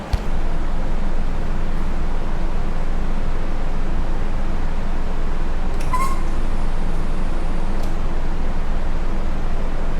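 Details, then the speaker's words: Dodge Viper swapped to a turbocharged Hurricane inline-six with 8-speed, first start on paper-clip wiring with no exhaust or wideband: loud open-header roar at a steady low beat, no misses or knocks; runs normally, oil pressure building, likely air in system. "It runs, but I want to double check, make sure we got oil pressure and all that good stuff."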